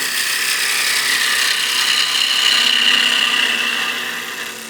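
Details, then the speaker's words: Skew chisel peel cut on a lathe: steady high, airy hiss of a sharp edge shearing wood, swelling midway then easing off, peeling the wood away in long shavings; normal clean cut. "And you can see we get these long shavings. It's basically just peeling the wood away. That's why it's called a peel cut."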